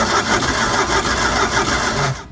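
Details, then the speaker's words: Used boat engine, first start attempt after connecting battery, before any repair: quick even rasping cranking with steady rhythm, no grinding or knocks, then stops cleanly; normal cranking. "Oh, that sounded good. Yeah, it did sound good. I like that sound."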